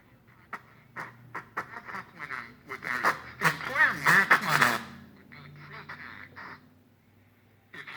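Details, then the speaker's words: 1938 General Electric G61 three-band tabletop tube radio on the broadcast band, playing a station through a harsh, crackly, buzzing sound with popping on peaks. The speaker is damaged and popping, and the radio section itself works. "you can hear that course it sounds like complete crap but suppose the speaker's poppin"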